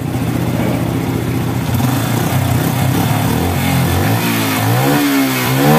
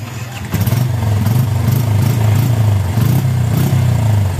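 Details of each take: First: Yamaha Bison motorcycle after carburettor teardown and adjustment and blocking the emission hose, previously stuttering, backfiring and smoking black: engine picks up cleanly on each throttle blip and settles without popping; now revving normally. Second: Yamaha Bison motorcycle, hesitating as if fuel-starved on first pull. Revving gives uneven running with sharp irregular pops and backfires, black exhaust smoke and then white smoke; the carburettor was stripped and re-set.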